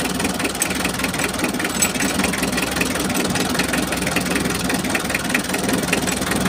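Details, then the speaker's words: Mitsubishi L300 diesel with low power and high fuel use, idling with injector line three cracked open: lumpy, uneven, clattering idle with one cylinder barely firing; the number three nozzle appears clogged. "Nah, sekarang kalian bisa lihat nomor tiga, teman-teman. Sepertinya bagian noselnya tersumbat."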